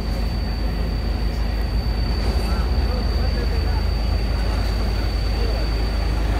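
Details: Isuzu Giga FVZ 285 PS trailer-truck diesel that would not start after rolling over on the Gentong climb, now idling after the weak battery was replaced: a deep, even rumble holding steady with no misses or knocks.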